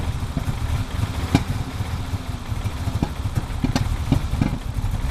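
Lumpy cold idle with an uneven beat and irregular stumbles and pops every second or so, a typical cold misfire.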